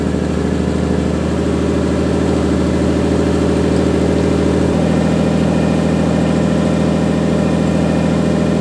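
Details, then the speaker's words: Nissan 240SX at a fast, busy idle that drops slightly to a steadier lower pitch; owner suspects an unrepaired vacuum leak from a drift event is raising idle, not confirmed. "Also, it might rev a little high because I haven't looked at the vacuum leak that it had from the drift event."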